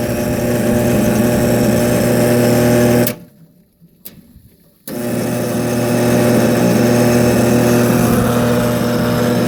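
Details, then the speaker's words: Old 480-volt electric motor being reversed at the electrical box; loud hum with steady whine cuts out about two seconds then returns just as rough; sounds wrong, cause unknown; abnormal motor noise. "That doesn't sound good. That sounds less shitty."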